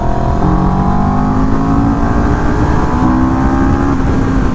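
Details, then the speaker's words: CFMOTO 700CL-X twin accelerating hard, switched from Eco to Sport mode mid-throttle near redline: rising tone hardens and jumps in pitch as more power comes in; audible engine character change, normal acceleration. "I don't know if you guys could hear that but you can literally hear the engine characteristic change as you hit it"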